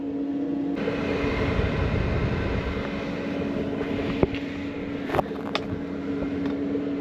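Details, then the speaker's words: Autoterm Air 2D 2 kW diesel air heater, running about 35 minutes at full heat, troubleshooting low output: steady even fan hum, diesel pump audible clicking 90 per minute, outlet about 80°, intake about 10°; running normally. "And you can hear the diesel pump down here. Now I'm going to count if it's 90 per minute. It is. 90 clicks per minute."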